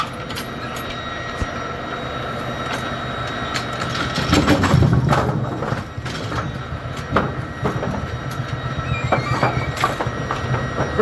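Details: Brunswick A2 bowling pinsetter, run with jumper installed for a suspected deck holding hook problem, clatters and clanks over a running hum with a loud mid-cycle surge, getting stuck on the second-ball cycle; a blown 1 amp fuse was found afterward, cause unknown.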